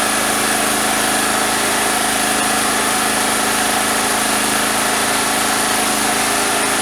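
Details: Single-phase petrol generator that would not start, starter cord replaced, fuel and filter checked, pipe fitted on the exhaust: runs steady and even with busy mechanical clatter, no misses; sounds healthy.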